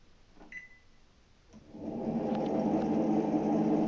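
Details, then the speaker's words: NordicTrack treadmill owned since 2005, drive belt spring disconnected so the pulley doesn't turn, run at 8 mph: a beep, then an extremely loud droning motor hum with fast rough flutter, confirming a noisy drive motor. "and as you can hear it's Extremely Loud and of course this pulley is not turning because we disconnected the spring"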